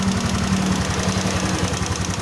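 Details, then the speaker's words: Honda Beat FI scooter engine that had seized from running dry of oil, now running: uneven, lumpy idle with dull pulsing beat and some rattle, still smoking; worn piston and piston rings from oil starvation. "Only on the piston ring, the piston ring is already western, this is the proof, bro, smoke is still coming out because the condition of the piston is definitely worn out. Well, for the others, it has an impact on the sound of the engine,"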